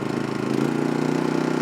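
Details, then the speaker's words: MaXpeedingRODS MXR4000 generator, with 10W-30 oil and no load yet, throttles up from economy mode to full mode and runs with a smooth, even, quiet hum; running cleanly. "And that's full mode. Boy, it's quiet. I like it."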